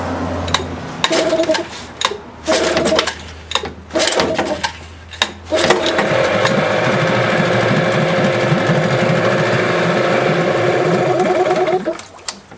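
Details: Old Yamaha eight-horsepower outboard that won't idle unless choked: a few stuttering catches, then a steady but uneven putter with wavering beat; rough running, cause suspected, not confirmed.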